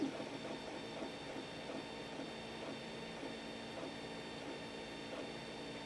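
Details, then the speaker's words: 3D printer before installing stepper motor dampeners, phone decibel app: quiet steady low hum with faint ticking as X and Y axes move, about 40 dB; Y axis the loudest; ordinary stock stepper noise. "so as you can see as we bounce up in decibels we're only going at about 40 on the X&Y what I talk of course gets much louder"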